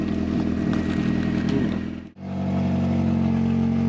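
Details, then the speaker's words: Mk3 Astra 1.4, 102,000 miles, parked since 2018: engine idles roughly, drops out completely around two seconds in, then picks back up; cuts out randomly after a few seconds, no cooling fan, management light on, cause not yet found. "no fan and it cuts out it random after a few seconds running"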